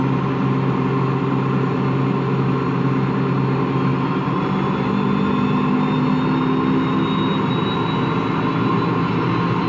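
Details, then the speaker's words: Washing machine running empty on rinse and spin: a constant deep rumbling growl under an even whirring hum. Owner suspects bad motor bearings; the drum is not loose. "Yeah, that sounds like bad bearings. Only that the drum, the bearing is not that bad, so the drum is not loose or anything, but it just makes that growling noise."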